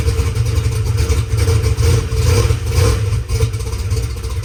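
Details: Drag race car sitting two weeks, started after squirts of brake clean: deep, loud, lopey rumble keeps firing on its own after the priming squirt; engine catches and runs fine.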